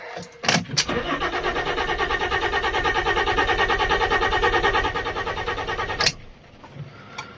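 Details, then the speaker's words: Water-damaged Fiat Stilo Abarth after new battery and replaced crankshaft (RPM) sensor, in neutral: steady starter cranking about three turns a second for five seconds, never fires; RPM sensor fault code still stored. "Connect to ECU. Yes, why aren't you starting? Still RPM sensor, but hey, I just replaced it."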